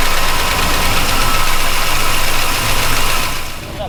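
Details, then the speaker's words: Chevy truck after valve adjustment, valve cover off: rough idle with quick, uneven ticking about four per second; judged lifter noise, not a loose valve. "you can still here that's just valve LIF noise that's not a loose valve per se"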